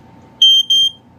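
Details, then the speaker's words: FireX FX1218 piezo ionization smoke alarm: two high, shrill beeps, with the second tailing off weaker as the sounder powers down, a normal power-down chirp. "Yeah, you could hear on the second beep it like was started to die out."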